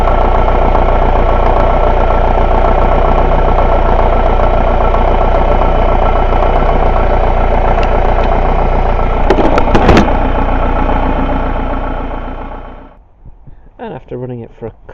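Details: Chrysler Grand Voyager 2.8 CRD diesel, which cuts out in cold weather, idling during a pressure relief valve test before shutdown: an even idle with a steady low beat and a light rattle that holds speed. It runs normally, and the relief valve is working fine.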